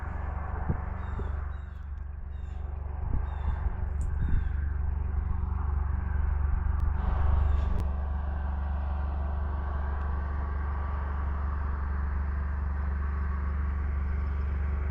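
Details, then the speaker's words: 2388 combine, back after nearly a month out of commission, running without a muffler and heard from a distance across a snowy field: deep, heavy diesel roar, loud and steady, from an unmuffled open exhaust. "That 2388 makes a heck of a racket without a muffler."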